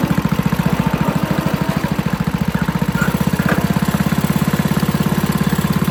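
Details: 8 hp Tecumseh engine on a pavement roller, running after its varnished carburetor was replaced with a new aftermarket one; quick, even thumping of about thirteen beats a second holds steady without misses or surges; small engine running smoothly and healthy.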